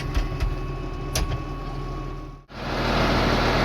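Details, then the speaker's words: 3588 tractor with a freshly rebuilt diesel and new hood, starting easily: quiet, even idle with no knocks or rattles, then a steady rush of noise. Healthy normal idle. "so amazing how she just pops right off with a fresh engine isn't it sure is nice"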